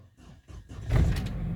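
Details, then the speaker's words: Chevrolet Vectra Expression that sometimes started then died, owner suspecting the fuel pump: brief quiet turnover, engine catches within a second and settles to steady low idle; starts normally. "and hit the starter the car is already running"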